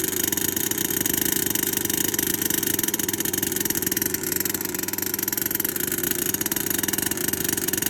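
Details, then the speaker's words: HPI Savage Octane RC two-stroke after rebuild, timing sensor repositioned, needles at base settings, no choke, primed: fast, even buzzing at steady revs with no misfire or stumble; running cleanly, engine mechanically fine. "so the octane is running there were multiple things wrong with this car"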